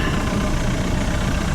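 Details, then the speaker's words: 1974 tri-hull boat with a Mercruiser 3.0 idling at 900 rpm out of gear with a steady, even rumble and no misses; it stumbles and pops around 2000 rpm and won't plane. Timing was checked at about 6 degrees. "Idle's fine. Doesn't seem to want to get up on plane. Let's check the timing. Check the timing. Make sure timing's right. It's idling 900, not in gear."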